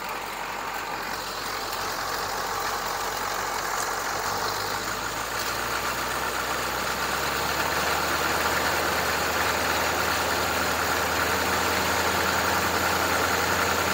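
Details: GM 6.2/6.5 diesel with mechanical DB2 injection pump, revved to about 1300 rpm during timing check: steady even drone, no knocks or misses; timing reads -6.5 degrees at 1300 rpm with 9.5 degree offset, running clean.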